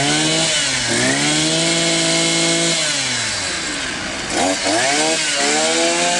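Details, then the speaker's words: Elmos string trimmer that would not rev or make power, after cleaning its carbon-clogged muffler and exhaust port. The two-stroke buzz climbs cleanly to high revs, drops back and picks up again with no stumbling; it runs normally with an excellent idle. "Двигатель работает в норме. Холостой ход отличный."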